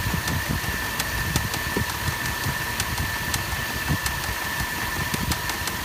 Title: LR3 Ticking Noise